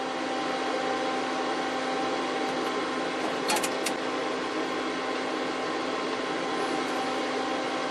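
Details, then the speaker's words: HP 8662A signal generator after power supply recapping, showing error #10: steady fan hum with two or three sharp relay clicks as amplitude is stepped; output amplitude changes only at clicks; relay clicking, fault unconfirmed. "I'm listening for that sound you'll see the amplitude only changes when you hear the click"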